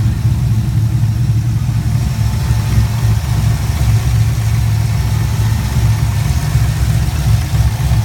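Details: 2004 Chevrolet Colorado with swapped 5.3L V8 and Texas Speed stage 4 cam (223/226, .600 lift, 111 LSA), retuned with raised idle and airflow, warm: deep, choppy rhythmic lope idling steadily around 925 rpm, trims about -3 to -4, no longer stalling; healthy cammed idle.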